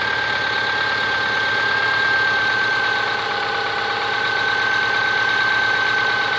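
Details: Subaru Forester SG5 with EJ25 engine: steady idle with a dull knock about four times a second over a faint whine; knock at idle, cause unknown.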